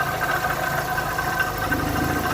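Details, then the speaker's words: Fiat Doblo 1.8 petrol idling evenly with a faint steady whine from the belt area; water pump suspected, not confirmed. "então hoje o nosso serviço do dia hoje é nós estamos aqui com uma Fiat Doblo equipado com motor 1.8 certo tá com um barulhinho na nas Correias"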